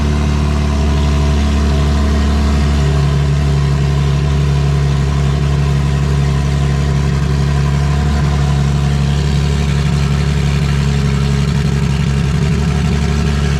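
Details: Vauxhall VXR project, first start after engine install: steady low idle with an uneven, lumpy pulse near three beats a second, not settling smoothly; running rough.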